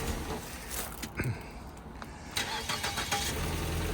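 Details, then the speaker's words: 2013 Ford Escape at a tow-yard auction, started with a jump box: a quick crank catches straight away and settles into a steady, even idle with no knocks or misses. Normal start. "Started right up with a jump."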